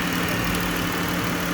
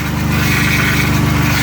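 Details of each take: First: 3.6 Pentastar V6 after engine replacement following oil starvation: even steady idle with a smooth low hum, no knocks or ticks; healthy. Earlier startup noise was from an empty power steering reservoir. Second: 3.6 Pentastar V6 just after engine replacement, first start: rough-sounding idle with a steady high whine over the engine from the power steering pump running low on fluid lost during the job; an exhaust leak is also heard.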